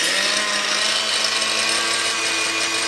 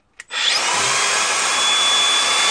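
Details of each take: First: Angle grinder repaired with new brushes about six months earlier, now playing up again; motor whine drops and wavers, rpm fluctuating, almost grinding to a halt, very underpowered; fault returned, needs further repair. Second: Angle grinder without paddle switch, running freely; clicks on and spins straight to a clean steady high whine, no rattle or grinding; normal running, sounds good.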